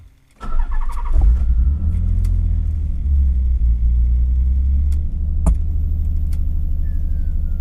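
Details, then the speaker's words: Nissan Z car cold start: the starter catches within half a second, then a steady, even low idle with no knocks or misses. The stock cassette stereo makes odd noises at startup; a normal, healthy cold start. "So that being said, let's just jump right into it and let's drive. Okay, cold start time."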